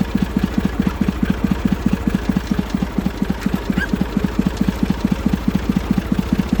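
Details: Massey Ferguson 35 three-cylinder diesel, seized 20+ years in the woods, tow-started in third gear high after the starter failed; it caught after about 300 yards of building compression and heat. Quick, even chugging beat, about seven pulses a second, running steadily: normal diesel running.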